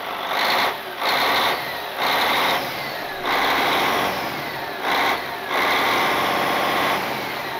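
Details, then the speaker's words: Cat 16H grader, Caterpillar 3406C diesel, abandoned about a decade, started without ether after priming, over 80 psi oil pressure: steady, smooth, even running with no knocks or misses; sounds really good. "that sounds really good"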